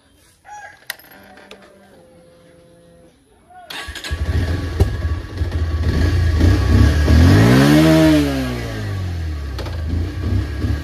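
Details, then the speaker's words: Bajaj Pulsar 125 with stalling/start problem, started after draining fuel from the fuel line (owner suspects fuel problem): quiet ticking, then single starts and settles into even putter with brief rev; normal idle. "বাইকখন বাৰু ঠিক চাই start লৈছে but এতিয়া চলাই চাওঁ start বন্ধ হয় নে আৰু চলে"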